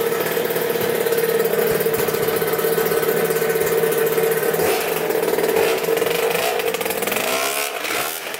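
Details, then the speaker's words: 2000 Cobra 50cc two-stroke dirt bike after top-end work, on a test ride: crisp, high buzzing note holding a clean steady pitch under throttle, then fading as it rides off; runs well. "yeah she rips pretty good man thing is sweet this thing is tuned into awesome"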